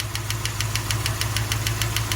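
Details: 1974 Jensen Interceptor with Chrysler Mopar big block, warm idle after a 15-mile run: sharp, even tick about six times a second over low idle hum from a noisy hydraulic lifter (tappet), before replacement.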